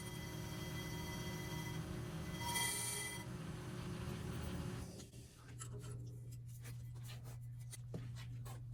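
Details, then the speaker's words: Accu-Turn 8944 brake lathe resurfacing a rotor: steady piercing howl near 1 kHz over the motor hum toward the end of the cut, then drops away; chatter/howl can indicate a bad carbide tip. "quick side note on this is you notice the noise that it was making towards the end there started howling"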